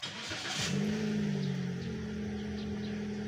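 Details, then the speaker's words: Car with high fuel consumption, started after throttle body cleaning and an on-off key cycle. Quick crank and catch, a short flare of revs, then a steady even idle without hunting or racing. It runs normally, not screaming. "Yan mga bossing, oh, ganda yung niya, tunog, hindi siya sumisigaw. Ayan mga boss, okay na to, ay napaganda na yung indoor niya."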